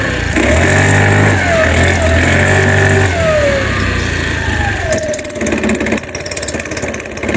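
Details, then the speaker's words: New-body fuel-injected Cappuccino 50 scooter, fault light staying on at start, engine smoking: rapid uneven rattle as revs rise and fall through the range; engine to be removed to find the source. "önce motorumuz gaz geçiyordu şimdi motorumuz böyle bir sesler çıkarmaya başladı"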